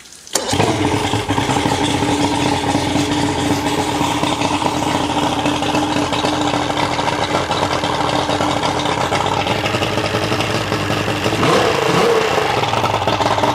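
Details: 1991 Ranger bass boat, 1998 Mercury 200 EFI two-stroke outboard, first start after removing aftermarket parts, with aftermarket reed stuffers still fitted and the oil pump rod fixed: catches and settles into a steady, even buzzy idle with no misfire or rattle; a normal idle.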